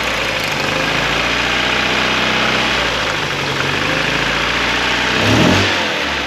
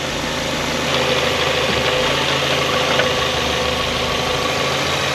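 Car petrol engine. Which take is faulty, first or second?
first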